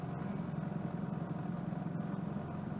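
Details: 1992 Mitsubishi Lancer GTi, newly installed KIFECO MAF sensor after earlier rough idle and power loss fixed: smooth, even low idle with steady throb, no stumbles or misses, settling cleanly after cold start.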